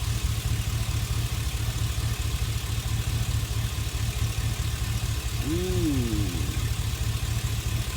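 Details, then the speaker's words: Chevy Express idling smoothly with a steady, even low rumble and no misfire after reconnecting cylinder 1 fuel injector, whose loose plug connection caused the cylinder 1 misfire; bank 1 catalytic converter was also clogged; rebuilt engine. "Let me push the gas. Idle. Now there is no misfire."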